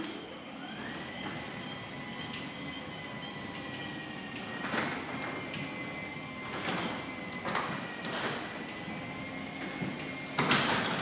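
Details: Genie 6172H-0 wall-mount jackshaft opener closing C.H.I 5916 insulated steel door with nylon rollers, 15 in radius track, after warning beeps. Soft steady motor hum at even pitch, only light panel clicks: normal quiet, healthy operation.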